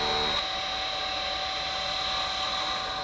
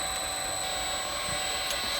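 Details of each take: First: CNC spindle motor run at low speed on an inverter, stalled by hand as a test for a stall monitor; steady high whine with low hum that bogs and slows to a stall, while inverter current barely changes. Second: Inverter-driven CNC spindle run unloaded at low speed while a current clamp on one motor winding is monitored, before a stall test by hand: a smooth, constant high-pitched whine. Normal unloaded running.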